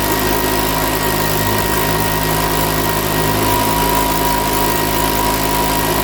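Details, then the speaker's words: Makita BHX2500 four-stroke leaf blower after valve clearance check: runs but the beat wavers and speed hunts now and then; rough running, owner suspects it needs a new carburetor. "it's running but here i reckon it's gonna need a new car on that"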